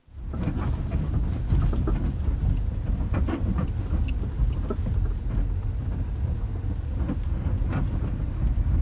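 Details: Lada Vesta sedan with a faulty right-side engine mount: irregular dull clunks about every half second under a low engine rumble; worn engine mount knock.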